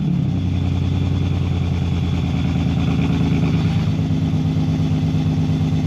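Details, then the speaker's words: BMW E46 330ci drift build with headers, a new custom valved exhaust and solid Condor Speed Shop mounts: deep, steady burble at a fast idle with no rasp, rattle or leak ticks; the valve changes the tone rather than the volume. "So, the exhaust, it sounds all right. The valve control doesn't really dim down the noise volume. It kind of changes the tone a bit."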